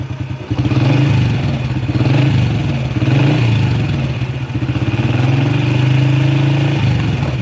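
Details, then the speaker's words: Honda Supra Fit (same as first-generation Legenda) motorcycle after electrical repair, revved: pulls up and eases off in waves with low throaty drone and mild rattle; this noise is normal character of the model when throttle is pulled. "itu akan terdengar suara kayak gitu ini memang karakter dari generasi pertamanya yaitu legenda suara itu akan tetap terdengar kalau ditarik"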